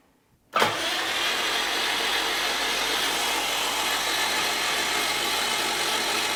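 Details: Rebuilt blown-up 2003 Subaru WRX, engine just installed with fresh oil, cranked without spark plugs or coil packs: starter spins engine at a steady, even rate with no knocks or grinding; normal cranking.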